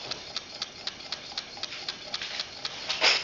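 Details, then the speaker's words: Coaxial hot-air engine with test-tube cylinders, flame heated, running quite quickly: light crisp ticks about four per second, evenly spaced, slight squeak from glass tubes touching, no knocking or scraping; normal smooth running. "but actually it's quite nice to hear it run to see a run slowly you can appreciate more of the mechanism it runs quite quickly"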